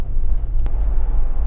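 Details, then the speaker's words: Toyota Land Cruiser abandoned 8 years, after the driveline vibration fix, accelerating past 30 to 40 mph: a steady low road rumble with no rhythmic shudder or drone, so there is no vibration whatsoever and the driveline runs smooth. "Oh, you know what? That's done it. Get in. What am I doing? 40. No vibration whatsoever."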